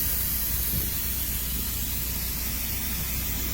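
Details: Mini truck air ride dumping the rear bags, steady even rush of escaping air over a low rumble; the suspension releases normally.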